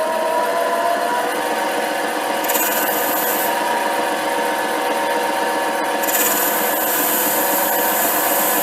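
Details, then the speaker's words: HiTorque 5100 7x16 mini lathe facing steel, speed back up with shallower cut after chatter: steady even hissy cutting, no squeal or chatter, smooth finish. "Well, that's not too bad. Um, it's actually feels quite smooth."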